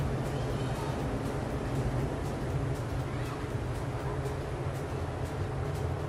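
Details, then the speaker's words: Suryatech Commander 800 gas space heater running after a normal start: it purged old gas, drew in fresh air and self-sparked with gas pressure present; a steady, even low hum and fan rush with no surging or popping, firing normally. "Heater start केल्यानंतर हा जो जुना gas होता तो बाहेर काढतो आणि fresh हवा आतमध्ये घेतो। त्यानंतर हा सेल्फ स्पार्किंग करून गॅस स्टार्ट करतो।"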